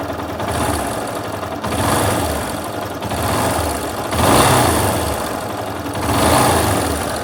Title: Yamaha Fazer 250 11/12 14 mil km barulho no motor,o que pode ser?